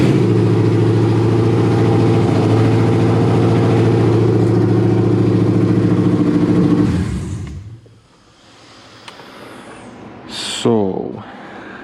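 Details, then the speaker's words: 2009 Ford Crown Victoria with 7.3 Godzilla V8 swap, cranked and idled with oil pressure unconfirmed and the gauge not rising: a steady, fairly quick idle holds about seven seconds before shutoff; idling high but not bad. "doesn't look like this gauge went up any at all but it was idling not bad it was idling high but it wasn't bad"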